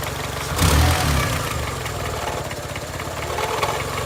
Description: 2002 Honda Accord - 260,000 miles. Engine makes knocking noise. Can’t figure out if it needs a valve adjustment or if it has rod knock.